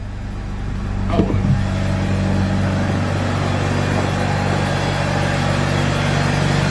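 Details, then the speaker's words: Mazda RX8 rotary after cheap maintenance, warming up at idle: smooth, steady low hum with constant buzz, no stumbles or misses; owners say the earlier miss is gone and it sounds healthy, though it could use a new throwout bearing. "Sounds a little better. Yeah. I mean, honestly, it sounds pretty healthy. Yeah. It doesn't have the miss like it did."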